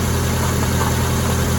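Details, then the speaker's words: 2002 Mazda Protege 5 at steady, even idle after a temporary epoxy repair of an ignition part that had been visibly sparking off; no snapping or crackle now; normal idle. "so seems like to me everything's running good"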